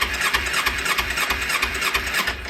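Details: 2009 Kawasaki Ninja 250 cranked on starter, not started to avoid old fuel: even rhythmic cranking about six pulses a second with starter whir, no binding; engine spins freely, not seized.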